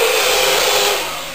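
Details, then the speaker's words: Taiff hair dryer running with a noise: steady high whirring blow with a thin squealing edge that fades as it slows; worn motor bushing that must be replaced. "Este chiado que vocês estão escutando é um barulho que fica um barulho como se chama, em uma bucha que ela vai ter que ser trocada."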